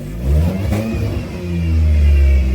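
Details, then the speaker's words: Car engine just brought back to running after work, blipped up twice, rising and falling cleanly back to idle without misses or knocks; normal healthy revving. "yeah, I got her to start, and she's running. She's running."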